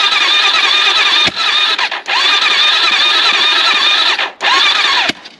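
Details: AJP PR7 motorcycle, first start after engine damage repair and reassembly, fuel pump primed: the starter whirs in short labouring bursts with pauses and never catches; the battery is too weak to spin it up.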